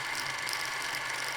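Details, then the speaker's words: Krasnogorsk-3 clockwork film camera running, steady high whirring ending in a sharp ratcheting burst; suspected film tearing, lost loop or jam, not confirmed. "ऐसा है जैसे यह फिल्म को फाड़ने की कोशिश कर रहा है या कुछ और। इसका मतलब है कि कुछ अब क्रम में नहीं है, या तो यह व्यर्थ था, या लूप चला गया, या कुछ और, या यह पूरी तरह से जाम हो गया है"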